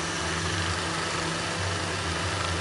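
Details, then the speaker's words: Miyako stand fan that would not oscillate, fixed at the lever (not the gears): smooth, even motor hum with low mains buzz, no clicking, rattling or scraping; oscillating normally again. "Ternyata bukan diotekkannyaini ee gigirnya tapi di ee tuasnya Ini yang bermasalah dan sekarang sudah oke lagi"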